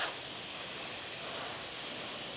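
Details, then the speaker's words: Isomac E-61 espresso machine after full service (descale, backflush, new gaskets and shower screen), steam wand tested: strong steady high-pitched hiss, no sputtering or fading, holding pressure; normal steam wand operation. "Now we're going to test the steamer. I think working well."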